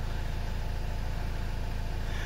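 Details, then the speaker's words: 2015 Chevy Cruze diesel after fuel filter change and priming three times: starts and settles into a steady even diesel clatter with a smooth low rumble, no misses or knocks; normal idle. "all right try started okay there alright so I wasn't counting but that gets it started"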